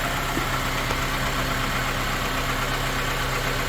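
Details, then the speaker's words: Honda Element K24 on its first start-up, valve lash still to be adjusted, heard from a distance. Smooth even idle with a steady hum and no knocks or ticks; sounds good. "Sounds good."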